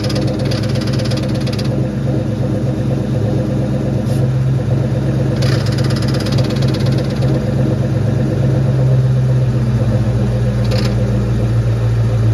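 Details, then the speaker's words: 2004 Mustang Mach 1, about 500 miles after a new clutch, throwout bearing, fork and pivot ball stud, shifting weird. Steady low idle with scraping rasps every few seconds: the stud backed out halfway, likely wrong length, so the clutch fork contacts the pressure plate. "see in here is the problem that stud's backed out halfway which is what my brother um recommended he said um it's probably the pivot ball stud length is wrong and in this case it is because it's backing o"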